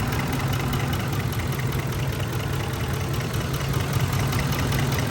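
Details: Ford F-150 5.4L V8 misfire on cylinder 8 (bank two) at idle: a low, uneven, loping beat; the truck shook, lost power and smelled of raw fuel at the exhaust, and a wrong 10 mm bolt was found at the coil.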